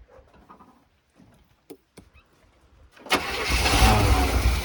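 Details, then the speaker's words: 1978 Chevy K20 4WD Camper Special, sat outside 13 years: long crank, then fires into a lumpy, uneven, stumbling idle with misfire after Seafoam added; blow-by smoke from crankcase, owner suspects engine might be shot, cause unconfirmed. "i think this engine might be shot"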